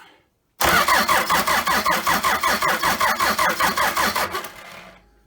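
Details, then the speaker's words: Toyota 3B 3.4 L naturally aspirated diesel from a 1981 BJ60 Land Cruiser, sitting 6–7 years, fuel primed and injector lines loosened to bleed, on battery charger: steady cranking about 2.5 compression pulses per second, never catches; puffs of black smoke. Cranks no start. "she was thinking about it we're seeing some puffs of black smoke so we are definitely close"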